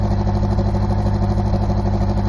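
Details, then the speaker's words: Oil-burning Honda at cold start idle, stiffer motor mounts fitted, heard at the tailpipe: lumpy, uneven puffing with one cylinder weaker, a slight knock. A mechanic suspects a burnt and a bent valve after the crankshaft pulley bolt fell out in 2012. "I was told by my mechanic that it has possibly a burnt valve and a bent valve when that crankshaft pulley bolt fell out of the engine back in August of 2012 at the end of the month."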